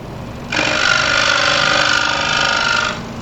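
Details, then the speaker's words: New 30-inch Pegas scroll saw, bolted to plywood on a stand, cutting 1/8-inch walnut with a coarse blade; steady, even, mid-pitched buzzing hum, a little louder under load but not bad, no vibration; normal scroll saw cutting. "But it's a little louder, but it's not bad. It's not bad. Works"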